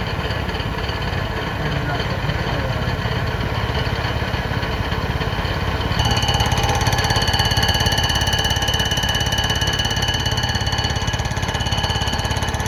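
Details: Fly cutter on a light-duty surfacer decking a flood-damaged Honda K series block during a pinned deck conversion: fast, steady hammering with ringing metallic overtones across the interrupted pinned deck, so passes are kept light to avoid breaking an insert.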